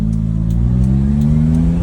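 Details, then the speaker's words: Suzuki Jimny turbo with HKS intake kit after swapping back to the original blow-off valve, which cured a buzz near 3500 rpm at zero boost: smooth even climb under throttle, with a slight hiss at cruise that stops with throttle and vents on lift-off. Normal blow-off operation. "So, yeah, I still get a little bit of hiss at cruise, but from what I've heard, that's normal as it's just releasing pressure. As soon as I even slightly add uh some throttle, it goes away."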